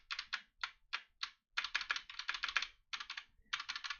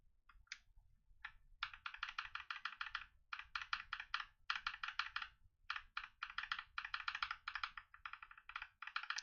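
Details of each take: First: Mechanical keyboard keystrokes, bright and clacky, with a loose smeared rattle trailing some presses from unlubricated stabilizers. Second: Mechanical keyboard switch after lubing: rapid crisp, even keystrokes with no scratch or spring ping, smoother and more dampened than the rattly unlubed switch.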